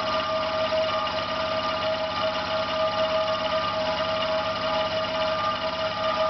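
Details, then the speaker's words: Failing air compressor about three minutes into a run, pump hot: motor hum with a whining tone and rough, uneven undertone, slowing and vibrating until it cuts out. Labouring compressor motor. "It starts vibrating. You may see it's moving, not running round anymore. You may hear that it's not turning normally around. It's getting slower and slower."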